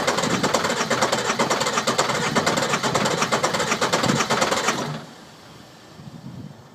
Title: Sisters no start issue